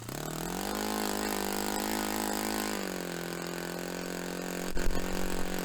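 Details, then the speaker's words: Restored Saito FA-45 Special on a test stand, 10% nitro fuel, warmed up during top-end tuning. A steady buzz rises slightly, eases back and settles evenly without misfires, peaking near 10,260–10,300 rpm against a manual peak of about 10,300. Normal running; mixture richened slightly afterward. "So that was actually a good little run. We got the peak at about 10,260, 10,300. Was a little bit high, so I richened it up slightly."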